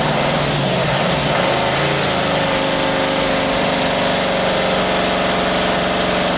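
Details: 1978 Camaro 350 engine, warmed to 190 degrees with exhaust fitted: fast, even clatter over warm idle, loudest up top; lifters rattling, valves still to be reset.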